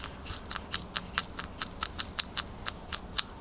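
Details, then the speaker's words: Mercedes OM616 diesel during teardown, first piston removed and rocked by hand: light sharp clicks about four per second; wrist pin play in connecting rod, rod repair needed. "слышно, как масло там плюхкается. Это люфт именно пальца в шатуне, то есть ремонт шатунов однозначно."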